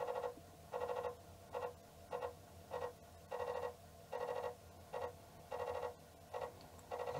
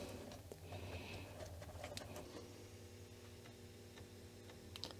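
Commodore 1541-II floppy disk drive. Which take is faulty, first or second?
first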